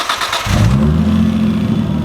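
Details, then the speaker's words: R31 Skyline with RB30ET turbo engine, running without a proper intake on the turbo: catches and settles into a steady even drone, no misfire or knock; runs good, sounds good. Normal running engine. "but yeah runs good sounds good"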